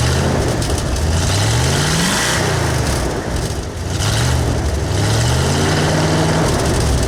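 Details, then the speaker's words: V8 on new Cherry Bomb Turbo mufflers, throttle blips: deep burble, revs climb, stumble and flatten before rising again; hesitation from an old speed-density injection system with a camshaft oversized for a 351 and 302. "yeah it doesn't sound bad um also if you notice there's a hesitation to it not much you're going to be able to do with it because what we have here is old speed density system and we're running a camshaft oversized for a 351 and a 302"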